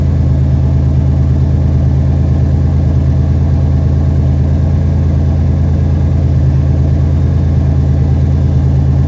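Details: 1991 Buick idling after the backwards-installed fuel filter was turned round and the pump primed, no leaks seen. Deep, even rumble at a steady idle with no stumbling, surging or stalling; runs smoothly.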